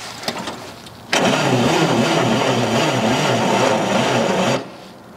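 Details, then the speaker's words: Old Allis-Chalmers FB20-24 2,000 lb forklift, cold start at about 30°F after head work, ether sprayed the day before: the starter churns sluggishly and unevenly, about four turns a second, without catching. Battery is running down. "my battery's getting dead I can smell the ether coming out of there from the other day"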